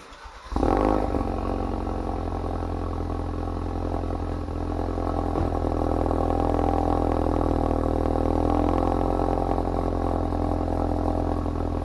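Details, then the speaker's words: Ford Focus RS at cold start: a loud, deep droning idle with a steady low rumble and a slightly buzzy edge. The exhaust valve opens on startup so flow isn't restricted during first idle; the owner dislikes the sound and is fitting a valve delete plug. "As you can see, when you start the car, the valve is open. Just to make sure that it doesn't restrict flow for the first idle time."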